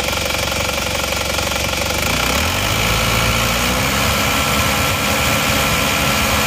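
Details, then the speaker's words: Isuzu Panther LS automatic diesel, warm with thermostat fitted, after blow-by repair with new liners: clatter rises and falls smoothly when revved, no misses or knocks; no smoke now. "sudah bagus jadi sudah bagus yang asap ini mesin sudah panas karena mesin juga sudah kita lengkapi dengan thermostat jadi temperatur sudah standar lagi"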